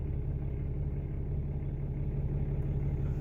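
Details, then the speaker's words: 2018 Ram 2500 diesel idling after a DIY fuel filter change: low, even rumble with a steady hum, no knocks or stumbles; a normal, healthy idle. "Well, I guess that's good. Fill it back up. Everything is fine."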